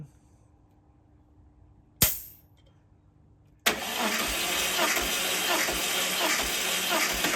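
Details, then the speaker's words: 1968 VW Beetle engine out of the car, valves set to .006", compression test cranking on a failing aftermarket starter: even chugs about three a second, no firing; cylinders 109–115 psi, within a few psi, good. "110 that one's pushing a little over 115 but overall within five six seven of each other it's pretty good"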